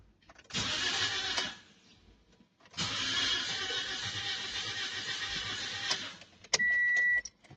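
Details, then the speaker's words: Toyota Vios/Avanza 1NR engine, 2023 model, cranks but won't start: two bursts of fast, even cranking that never catch, then a chime; diagnosed as low compression, common on Vios. "So ito yung kanyang tunog para siyang lose compression."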